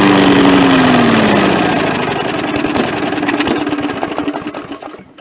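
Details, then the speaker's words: MTD push mower, carb cleaned and throttle spring rerouted: revs up, settles into a fast, even patter, then winds down at shutoff; owner notes the rpm seems high compared with other engines. "It seems like it runs, like the RPMs is pretty high compared to this saw over here, or this Pushmower here"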